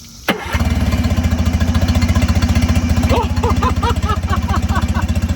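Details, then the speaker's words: Mercury 9.9hp outboard with a new impeller after its clogged cooling line was cleared with compressed air, water on; cranks once, catches at once and settles into an even idle of about four beats a second, telltale streaming strongly: normal start and idle. "That is, it's peeing so much. Look at this. Man, you talking about peeing like a racehorse."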